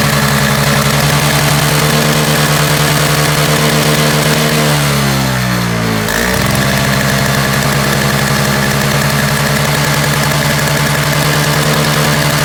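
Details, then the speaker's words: Roadside Toro single-stage snowblower two-stroke with a little gas plus Seafoam, missing primer bulb; steady buzz dips briefly around five seconds, then recovers to an even note once warmed a little, now running okay. "thought it could have warmed up a little bit and it started running okay"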